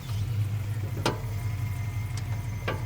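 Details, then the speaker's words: BMW E39 M5 track car turning slowly at low speed: three sharp, irregular front suspension clunks over a steady idle, equal turning left or right. The sway bar links are detached and nothing looks loose; the cause is not yet found. "today's episode of My Car is Making a New Funny Noise, we're going to try to figure out what all this clunking is about. Let me see if I can show you what's happening. You hear the clunking? And it's equal on both sides."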